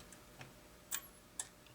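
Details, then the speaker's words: New-old-stock Makvision 3129 29-inch tri-mode arcade monitor, dead out of the box with a suspected bad solder joint: three or four sharp, dry relay clicks over two seconds as the supply tries to energize the horizontal output transistor. "oh it's ticking listen there's a relay there's a relay clicking now it's alive hear it we got a bad solder joint but now it's clicking and it's trying to energize our hot"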